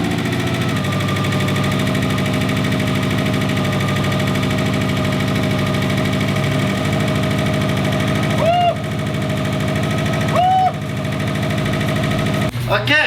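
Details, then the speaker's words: 2005 Subaru STI with an EJ257 engine on its first start after a teardown, with fresh fluids. Loud, busy idle with a hard, uneven rattly pulse and lots of smoke. The engine is running rough; a short block or valve problem is suspected. "so what did we see here? We see a lot of smoke. Why do we see a lot of smoke? Why does that not sound like good smoke? I'm a little worried."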